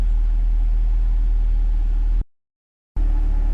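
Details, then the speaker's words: 2024 Cadillac CT5-V Blackwing, about 3,300 miles, with Corsa catback exhaust, idling with exhaust valves closed: quiet, deep, smooth low V8 rumble with no ticks or knocks; app reports everything good, no check engine light; normal idle. "Valves are closed. As you can see, the car is silent."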